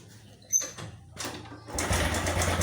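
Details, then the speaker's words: Honda Revo motorcycle with rough-engine complaint, at idle: engine catches into a fast, dry sewing-machine-like rattle; suspected cam chain (rantai keteng) rattle, goes away when revved. "ini suaranya kasar suara mesinnya kasar ini Lur kayak mesin jahit lo"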